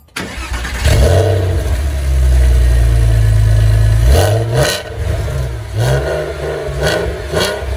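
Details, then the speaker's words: Porsche 986 Boxster S cold start after fitting a second-hand eBay cat-back muffler, mufflers suspected blown out inside: flares to deep booming roar, then rising and falling throttle blips; loud exhaust. "Sounds pretty loud."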